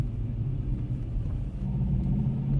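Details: Kia K3 GT gasoline turbo, in Comfort and especially Sport mode: at low rpm the active engine sound generator (ESG) produces a buzzy, diesel-like droning/trembling noise in the cabin; cannot be switched off, owner plans to remove it physically.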